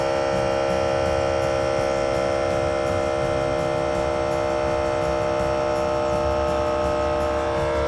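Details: Air Lift WirelessOne onboard compressor on a 2023 Ford F350 with a heavy trailer loaded, pumping LoadLifter 5000 Ultimate bags to 50 psi: steady electric hum and constant whine as the truck rises; normal operation.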